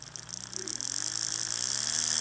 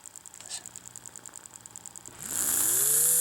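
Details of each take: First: AHM GP18 model locomotive motor on bench power pack: small whine rising with speed plus fine rapid buzzing rattle; slight vibration in flywheel collars and motor, unsure whether age or fault. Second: AHM GP18 model locomotive motor after a wash and lube, with the bushing contacts working: after a faint ticking, it spins up to a clean, steady whine that drops away smoothly. Normal running.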